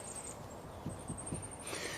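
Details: Car raised on axle stand, wheel rocked by hand to check lower ball joint before replacement with a removal kit: three dull clunks about a quarter second apart; worn, loose lower ball joint.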